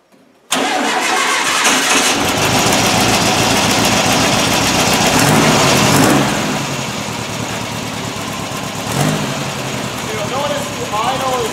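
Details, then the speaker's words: Freshly rebuilt air-cooled VW engine for a Porsche 356 replica, broken in, new crank, camshaft and lifters, new header exhaust, electronic distributor and high-energy coil: starts at once, steady crisp idle with snappy throttle blips, healthy. "I'm really excited about the tone and the responsiveness so this engine is quite Snappy the response time when you hit the accelerator is incredible"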